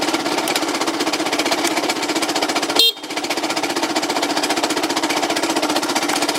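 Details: Yamaha Cygnus 125X FI (150) scooter that won't move, no drive to the wheel, belt possibly broken, FI lamp blinking at key-on: fast, uneven engine clatter about four beats a second, cause undetermined.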